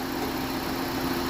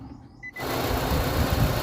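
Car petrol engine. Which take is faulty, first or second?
second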